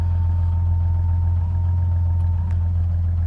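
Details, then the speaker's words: 2000 Jeep Grand Cherokee WJ idling warm, RPMs slowly dropping as the engine warms: low idle hum dipping and stumbling unevenly, tach bouncing; rough idle and misfire from a failing crankshaft position sensor, which also causes stalling while driving; fixed by replacing the sensor. "there you heard it again you can hear it's not idling smoothly at all"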